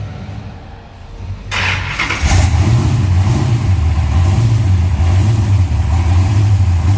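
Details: Cold start of a restored 1966 Dodge Coronet with a 440 block and Hemi heads built to 572: a crank, then it catches into a loud, deep, lumpy idle with quick throttle blips. Sounds healthy.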